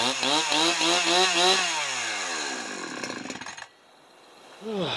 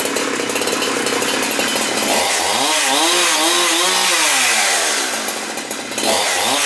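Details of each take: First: Husqvarna 372XP chainsaw, Walbro carburetor rebuilt with China parts, warm, low-speed just leaned out: revs high then sags toward idle and dies; low-end bogging and stalling instead of idling when warm. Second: Husqvarna 372XP chainsaw with rebuilt Walbro carburetor (previously stalled instead of idling when warm), L screw set about 1 1/4 turns, first start after rebuild with dry carb: high buzz dropping to smooth idle, revving cleanly without bogging; normal running.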